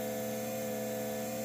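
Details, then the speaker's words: Ferrari F355 heat exchanger smoke leak check: steady, level tester pump hum as it pressurizes the part, showing resistance and no big leak; smoke comes only from the seal, with none seen inside or around the edges. "There's a lot of, you can hear the pressure. I can see it's pressurizing it, so it has some sort of resistance, which is good."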